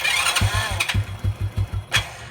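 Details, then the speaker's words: Old Honda Revo 110 motorcycle with severely slipping clutch, just after starting: rough idle with sharp evenly spaced taps about six per second, top-end knocking; cause suspected, not confirmed. "Seperti ini suaranya bro, ada suara ketukan seperti"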